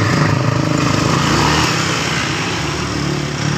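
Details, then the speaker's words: 2015 Honda Beat FI scooter idling after the CVT bearing was replaced: steady, smooth low hum with no tapping from the belt side, only dynamo sound and no clatter. "nah seperti itu itu bunyi dinamo bukan di bagian dari bearingnya yang tadi seperti itu tidak ada suara"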